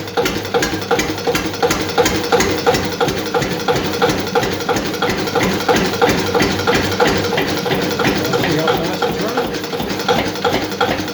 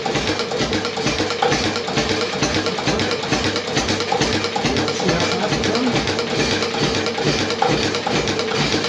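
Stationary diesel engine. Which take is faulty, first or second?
first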